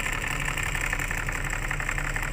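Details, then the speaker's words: Rear AC blower of a Starex/L300-type van, engine running: loud, rough whirring rattle that comes and goes and worsens as it runs, from a noisy blower motor with dry bearings, low engine hum beneath. "so Ayan na nagparamdam na siya Oh narinig niyo sobrang ingay na oh nawala ulit pero mas susulpot na naman yan mamaya o may ingay na siya pero hindi gaano konti lang"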